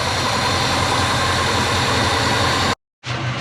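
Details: Subaru Forester on Haltech ECU fires up after a no-start and settles into a steady, even idle with no misses or knocks. Cause was fuel-fouled, flooded spark plugs plus a battery low from accessories left on overnight.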